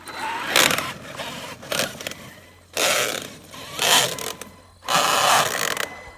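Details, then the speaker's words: Traxxas X-Maxx RC truck with newly fitted spiral-cut differential gears, front bulkhead screws refitted: harsh gritty grinding rising and falling with each throttle burst; owner suspects he damaged the gears. "yeah it sounds terrible guys oh well what are you gonna do let's send it almost sounds worse"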